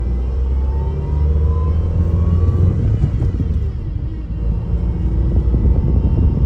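Low droning groan with a faint rising tone over the running engine, like a struggling steering pump; grinding from the power steering. Cause suspected, not confirmed.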